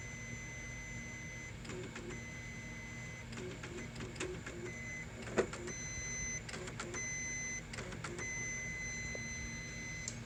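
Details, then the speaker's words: Very elderly printer, likely unpowered for about 30 years, on first power-up: irregular mechanical clicks and whirring bursts over a steady high electronic whine. Nothing is burning, but the mechanism acts erratically at power-up, cause unknown. "Nothing's burning, but it seems like it's acting funny."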